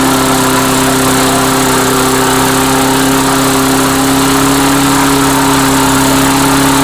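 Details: Engine on Mastercraft 3-in-1 mower, after bending idle plate toward governor: screams at high steady speed with no governor settling; overspeed, owner suspects governor linkages sticking open from their routing.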